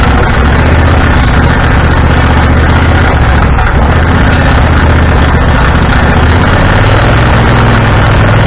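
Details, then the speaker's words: Husqvarna riding tractor, stored all winter, started with screwdriver across solenoid and choke: loud, steady low drone at even speed with no firing gaps, then engine shuts itself off. "i didn't shut it off it shut itself off"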